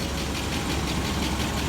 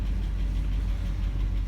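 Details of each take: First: 1996 GMC 1500 V8, barely run since 2016, idling after start: light fast ticking over an uneven idle, owner thinks the tick got a little worse; smoking slightly, tick cause unknown. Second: 1996 GMC truck that had sat unused, mostly since 2016: steady, even low rumble with no knocks or misses; normal healthy idle, though it later starts to overheat.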